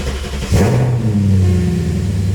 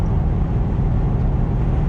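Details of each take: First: BMW E34 start after plastic-welding repair of fan shroud that occasionally made a racket on startup: engine catches quickly, settles into smooth, even low rumble with no knocking or fan scraping; runs healthy. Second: BMW E34, straight-piped exhaust with stock resonators, highway cruise at about 80 mph and about 2400 rpm, in-cabin: constant deep booming drone filling the cabin over road noise; noticeable exhaust drone, would be worse without resonators.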